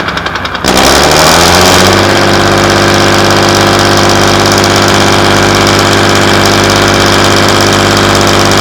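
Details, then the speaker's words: Class 117 DMU 51412 diesel, first start in 5 years after bleeding fuel air via the hand lift pump: catches after a brief crank and settles into a steady, even idle around 500 rpm, smooth throughout; healthy. "They're both idling. >> Okay. Now, what the idling at? >> They're idling at about 500."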